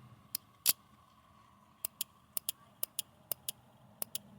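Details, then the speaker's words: 2006 Hummer H3 auxiliary lightbar relay box, relays tested while chasing non-working lights: crisp, consistent single clicks in pairs as the coil is energised and released. The relay is switching properly. "let's test the relays um you can tell which ones are the load by if the two outside pins are parallel so in this case these two parallel load once you hear a click"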